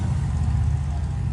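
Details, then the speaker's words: Car with a fourth-cylinder misfire that persisted after new spark plugs, ignition coil, fuel injector, and before an ECM swap: deep, lumpy idle with an uneven low thump and shake; likely two cylinders now missing. "but it's four cylinder mission actually probably more than four cylinder missing now because um i think it's like a two me two two cylinders missing now because it's really bad it's kind of like shakespeare when you start it up"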